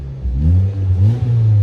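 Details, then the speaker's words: Mazda 3 four-cylinder after new NGK spark plugs: clean blips rise and fall smoothly without stumbling or popping; engine light now off, owner thinks an earlier cylinder misfire caused it; healthy. "it's nice and there's no engine light now so I think there was a misfire in one of the cylinders it was causing an engine light to come on"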